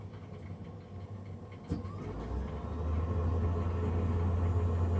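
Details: Navien NCB-240 boiler, recorded after service: a soft thump, then a deep drone that settles into a loud, even low hum of the combustion fan running noisily; cause suspected, not confirmed.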